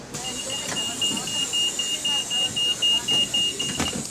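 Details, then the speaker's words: GAL LT392 bus on route 15, heard in the cabin: a high, steady beeping about four pulses a second from the middle (second) door closing buzzer. The buzzer is unusual on this door but working normally. "it's not common you see the second door having a different buzzer than usual It's usually the third door on um these root Masters"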